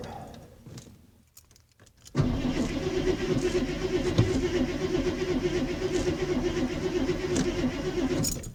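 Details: Ford F-150 truck sitting about four weeks: starter cranks steadily for about six seconds but the engine never catches, then stops; hard starting.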